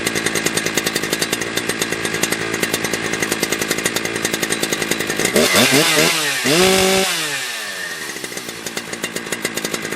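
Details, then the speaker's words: Husqvarna 3120XP chainsaw after lean-condition carburetor fix, limited high-speed needle drilled out: pops evenly then snaps to a clean high scream at wide open throttle, maybe about 12.5–12.8k rpm, no bogging; tuned correctly. "Yeah, that's how it's supposed to sound, right? At wide open throttle, it's supposed to go, whoa, and it just has that ever so slightly with that limited high drilled out."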